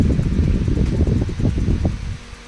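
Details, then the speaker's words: Electric fan that had stopped because its bearings had dried out, after disassembly, bearing cleaning and re-lubrication with Teflon oil, tested on first speed: a deep, gusty airflow whoosh with no squeal or grinding, normal fan operation. "Después de haber estado parte del día picando con el martillo, hemos recuperado el ventilador, que se había parado porque se había quedado reseco. Lo hemos desmontado, lo hemos vuelto a engrasar y vuelto a la batalla."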